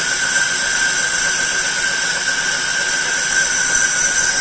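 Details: Lathe roughing high-impact ductile iron marine engine coupling held in a four-jaw chuck, test cut: steady high-pitched hiss with thin ringing tone, even and unbroken; cutting cleanly.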